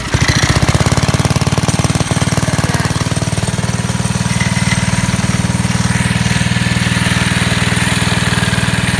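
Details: 1969 Taco minibike, a small single-cylinder engine started on choke. Quick, even popping that settles into a steady idle with light throttle blips; runs clean and healthy.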